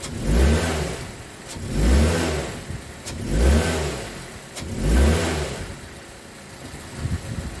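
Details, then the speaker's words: 2006 Mazda 3 2.0L, driving normally in gear: engine surges in and out about every 1.5 s with a sharp pop as each pull eases, plus rattling; heat shields ruled out, bad engine mount suspected, before mount replacement. "You can hear the rattling and the popping noises as you're just driving normally. I have already confirmed that that there's no loose heat shields or anything like that."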